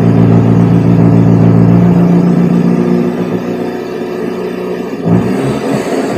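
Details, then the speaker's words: A Fiat Brio revs up then settles into a steady, even idle with no misfire, maybe slightly rich; the owner says it improved and is idling well. "Bueno mejoró sí me había puesto dos booking cortos ahí se lo escucho bien Quedó regulando bien"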